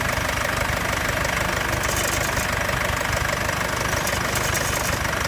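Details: 2015 Mercedes C220 CDI W205 diesel, after the cold-start phase: steady idle with a light, fast metallic clatter about three a second; rattle, cause unknown.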